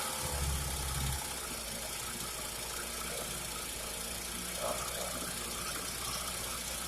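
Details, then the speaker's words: Early-1950s Goodyear Sea Bee 5 two-stroke outboard, first run in many years after draining old gas; steady even buzz with no misses or knocks, running cleanly. "i was excited that that motor ran i really didn't think it was gonna"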